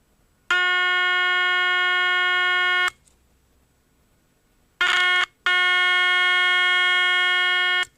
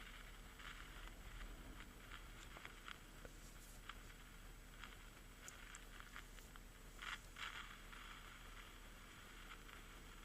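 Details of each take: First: EverReady N3 radio, 400 Hz test signal fed into the amplification stage: clean steady tone switching on and off with no hum, crackle or distortion; amplifier satisfactory, fault likely in the high-frequency section. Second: EverReady N3 radio being tuned: only faint, irregular crackle over hiss and no station received. The amplification stage probably works, but there is no reception.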